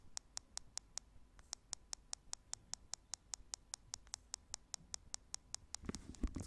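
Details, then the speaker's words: Google/HTC Nexus 9 tablet, microphone held close to the bottom speaker: sharp, crisp clicks repeat evenly about two and a half times a second over quiet room noise, constant regardless of use; speaker clicking. "so as you could probably hear it's quite annoying to have the sound on your tablet because it's not that loud but especially when you're in a quiet room it's very obvious and yeah you get annoyed by it that it's constantly doing this click click click click um yeah really annoying"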